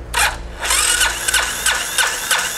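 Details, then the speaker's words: Rare military HDT M1030 diesel KLR motorcycle, throttle held wide with horn-and-red-light starting sequence, cranks slowly and laboriously with a pulse every half second and exhaust puffs but no catch; weak battery suspected, filter also dirty. "sounds like the batter doesn't have enough juice yeah it sounds like we're asking all of it"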